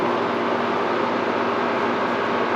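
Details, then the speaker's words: Air conditioner on low cool after its dog-chewed cord was replaced with a new cord and 20 A GFCI plug: the compressor kicks on, dimming the lights, then runs with a steady hum and cold airflow; normal running. "And yes, it is. I can hear the pump running. And the air is blowing nice and cold."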